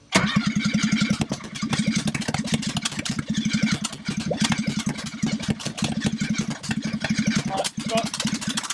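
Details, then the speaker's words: Ford ST170 engine swapped into a Mk1 Escort on an ME221 ECU with a newly loaded base map, first start attempt: rapid even cranking with sharp pops, spitting flames back out of the throttle bodies, never catching; fuel pump was switched off. "Kicking flames back out of the throttle bodies. Yeah, go on."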